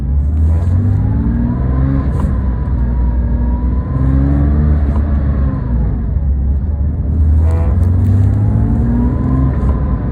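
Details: Porsche 997: unidentified noise when pressing and releasing the gas, engine rising and falling with brief clicks and a whining tone on throttle tip-in and tip-out.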